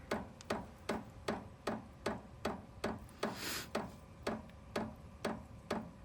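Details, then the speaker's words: New VEVOR 8 kW diesel heater on a Jackery 240 power station, at startup drawing about 130 W: crisp, even fuel-pump ticks two or three per second over a quiet background; pump pulsing normally as the heater starts. "There we go. Okay. Fuel pump is clicking. 130 watts."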